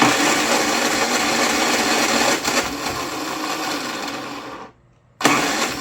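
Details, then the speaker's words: Used Predator 3500 W inverter generator: repeated uneven pull-cranking on and off choke never catches or runs; no start, carburetor suspected, carburetor to be pulled. "choke well darn you anyway choke just that no choke and no starter what's the deal all right well I guess uh tomorrow if we get a chance to work on it we'll pull carburetor off"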